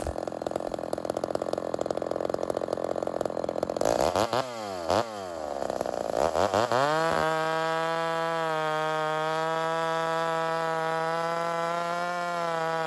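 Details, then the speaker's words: Vintage Homelite Super XL 130 chainsaw with the high-speed needle leaned slightly too far. In the cut the RPM sags and won't hold, and when lifted it gives a flat steady scream with no bark or four-stroking. Lean high-speed mixture. "I lean it out a bit and I take it just a little too far. And what you're going to notice is that as I lift tension from the saw, it doesn't bark at me, doesn't four-stroke, and the RPMs have trouble holding in the cut."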